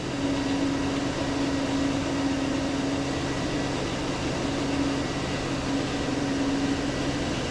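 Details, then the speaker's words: High idle at 904 rpm against a 575 target, coolant 197, fuel trims near zero so not a vacuum leak: steady, even fast drone; suspected hung-up linkage or binding throttle plates. "our engine speed was at 904 and it was looking for 575."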